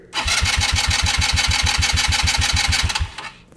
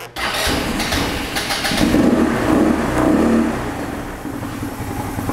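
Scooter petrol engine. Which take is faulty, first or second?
second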